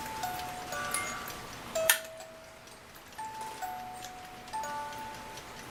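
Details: 1950s German-made Reuge wind-up ballerina music box alarm clock, tune possibly Vienna Life Waltz; clear plucked notes over a soft steady tick after reassembly, alarm tune and movement working normally.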